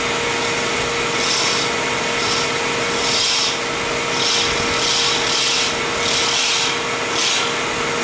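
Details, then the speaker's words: Resin pen blank turning on a lathe: scratchy, gritty bursts about every second over the steady lathe hum as the tool chips out the resin instead of cutting clean ribbons, from cutting too hard. "when you hear that it's because it's doing that it's shipping out instead of cutting the ribbons you don't want to hear that noise"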